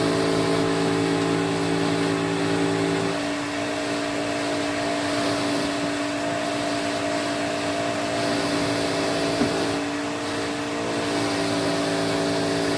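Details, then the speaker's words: 1986 Electrolux Twin Turbo Super Z551 vacuum, brush roll and bearings greased: steady motor drone with a rough warbling hum shifting pitch on wind-down; bearing sits wrong because of a melted thread in the head. "it's just the fact that it's not sitting correctly which is why it's um making that horrible noise"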